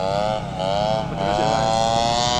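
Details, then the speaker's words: TU 26 two-stroke engine in a converted RC trainer plane (186 cm span) in flight on maiden flight: high buzz holds pitch, then twice sags and stumbles briefly before recovering; sputtering, owner suspects fuel, not confirmed. "Gas penuh, mendarat duluan. Jadi, mesinnya tersendat-sendat."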